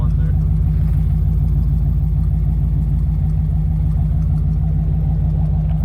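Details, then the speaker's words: 1956 Dodge idling after rotted-through line was cut and repaired and exhaust refitted: deep, steady low rumble with even pulses, no rattle or blowing, no leaks found; normal exhaust idle. "it's fine now there's no leaks as far as I can tell and uh the exhaust is also on"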